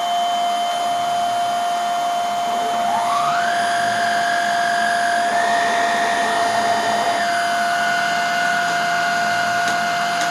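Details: Hoover Air Steerable vacuum motor test-run: a strong steady whine that climbs then holds, smooth and even with no scraping or grinding.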